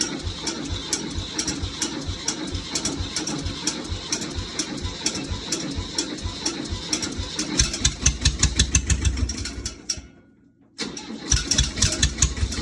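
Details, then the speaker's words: Ford diesel tractor after cold days, warmed overnight by wood stove, glow plug used: slow, uneven cranking about twice a second, a brief stop, more cranking with no catch; hard start, owner suspects gelled diesel. "okay we have been having some trouble getting this tractor started I think the diesel might have gelled up in there"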